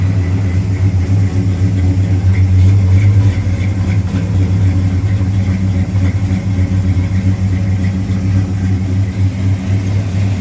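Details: 1970 Plymouth Road Runner, freshly rebuilt 383 V8, first run in the car after a new temperature gauge, upper hose, oil-pressure-line leak fix and fan switch: steady deep idle, no knocks or ticks; normal idle.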